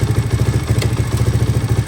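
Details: 1983 Honda XR200R single-cylinder after top-end rebuild and engine overhaul, idling in neutral about 10 minutes, warming to operating temperature: steady even thump about six beats a second, no knock or clatter; idle screw adjusted as idle stuck high after revving; normal idle.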